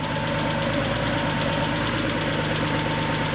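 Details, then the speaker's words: Engine with PMO throttle bodies started after balancing flow and setting idle: idle speed kicks up slightly at first start, then a steady, even idle with no knocks or misses, healthy. "here the idle speed kick up a little bit first starts up and run"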